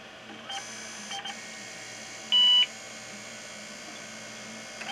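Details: IBM PS/2 Model 30 (8086, 8MHz, 20MB hard drive), heavily used and long unused: single short clean beep over faint fan hum, POST completed normally despite abnormal hard-drive scraping heard earlier.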